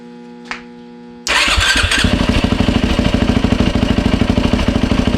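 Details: 2007 Yamaha YFZ 450 single after top and lower end rebuild, new water pump seals and impeller shaft fitted to fix a coolant leak at the pump hose; starter catches, settles straight into even, steady idle thump, no misses or knocks. No leaks, healthy.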